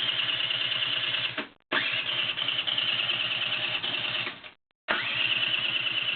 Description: it has new spark new petrol good compression just wont start any ideas